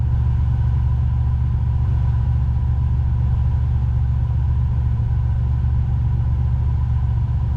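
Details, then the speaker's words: Engine idling with A/C on max after A/C clutch repair for a squeal: steady, even low rumble with no squeal, chirp or grinding from the clutch or belt; vents reach about 40 degrees. "don't hear any noise from the motor or the AC clutch oh dude she's hit 40."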